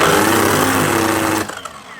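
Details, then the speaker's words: Festool KS120EB 10-inch miter saw reported as losing power and smelling: the motor runs with a rough, strained whine and winds down quickly after switch-off. The motor is burnt out and needs replacing. "Doesn't sound good anyway. Yeah, that's a motor. So, gonna need to put a new motor onto this one."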